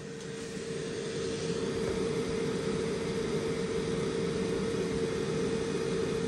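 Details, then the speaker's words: EBL 2400W portable power station in AC mode, powering a camper pod with the refrigerator running (about 92 W load). The internal inverter cooling fan gives a constant whirring hum at a steady pitch, with no rattle. It kicks on periodically. Normal cooling fan. "so there's cooling fans on the inside here this is what I was alluding to earlier in this video in AC mode I think the inverter in here needs to stay cool and therefore that fan kicks on periodically"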